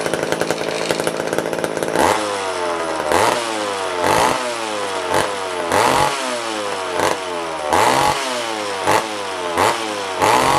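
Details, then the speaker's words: Old vintage McCulloch chainsaw restarted after long storage: repeated rev bursts with loose metallic rattle; owner suspects the clutch hitting the clutch cover. "that's why we got something on this GL cover rattling around maybe it's just a clutch hting the clutch cover I think it's culprit"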